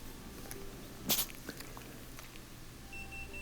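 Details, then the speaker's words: Bosch Axxis washer with three lights flashing, tested by pressing start while a tool held the door lock latch: the same few sharp relay clicks, then a short beep and the same error. The latch is ruled out; a faulty wire between lock and controller, or the controller, is suspected. "so getting the same clicks from the relay in the same error so it isn't the latch it isn't the part that sticks in that's causing the problem"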